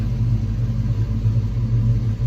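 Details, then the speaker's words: 1986 Mustang SSP V8 after replacing spark plugs and wires, idling about 900 rpm: deep, even burble with no misses or knocks; smooth steady normal idle, better than before repair. "but um okay now it's idling a little below one I hope it's fixed"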